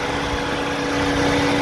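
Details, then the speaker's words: 2000-2007 Ford Focus (2.0L/2.3L) after radiator and cooling fan assembly replacement, idling with max A/C on and normal coolant and oil temps: a steady rushing airflow with a constant mid-pitched hum as the fan kicks on and spins smoothly; normal cooling fan operation. "come back out and i can already hear it you can hear our fan has kicked on you see that spinning"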